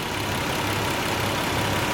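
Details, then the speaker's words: 1990 Nissan 300ZX twin turbo V6 after replacing the PTU to fix a misfire: idles with a steady, even hum, no stumbles or hiccup; water temperature a bit higher than wanted. "i don't hear that hiccup like i was hiccuping before oh my lord let's see what she sound like man she sounds like she running smooth fellas"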